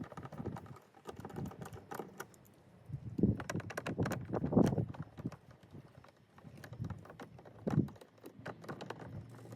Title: Audi Q7 mysterious knocking sound inside rear door!